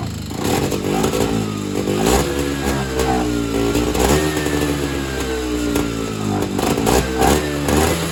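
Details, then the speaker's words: Evinrude Bobcat 25hp two-stroke snowmobile, sat 20+ years, fed mixed fuel from a separate supply: revs surge and sag without holding steady. Owner suspects the carburetor is not metering, with fuel bypassing it back to the tank, so it runs only on the supplied fuel. "So basically what has happened is the carburetor is not carbburating. So, what I think is happening is the fuel is just bypassing the carburetor and returning back to the fuel tank, and it's not actually getting sucked into the engine and burned."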